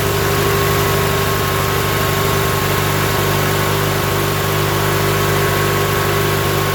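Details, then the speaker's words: Coleman Powermate 7000 generator, 18 HP twin L-head, 3600 rpm, non-runner with fuel filter fitted and carb hooked back up, primed with gas down carb: steady low drone, even firing beat, no knocks or misses, settled run on choke. "All right, I don't think we're primed up yet, but it's good to hear it running."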